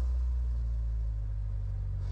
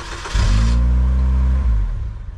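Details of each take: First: 2002 Saturn L200, previously crank-no-start with no module communication, now idling with a steady even low rumble, no misses or knocks, after cleaning corrosion restored the data network; runs normally at idle. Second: 2002 Saturn L200 with no communication to any module, cranked while scoping a data line: engine catches and runs rough about a second, then dies; starts and stalls, owner suspects a shorted or bad module.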